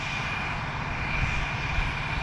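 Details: John Deere tractor diesel started: smooth, steady drone with a constant high turbo whistle, no knock or growl; running healthy.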